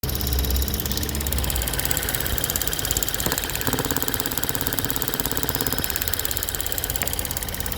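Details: 2013 Ford Fusion 1.6 EcoBoost at idle with fast light ticking, two or three per second, over the steady engine run; a bad purge valve was found as the cause.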